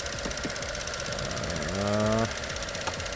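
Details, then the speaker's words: 2016 Chevy Cruze 1.4L with clicking noise and P0496 EVAP code: quick light ticking about four a second over steady idle; faulty canister purge valve, clicking stops when unplugged, fixed by replacing it. "so I I end up with this part which is it's a canister purge canister valve"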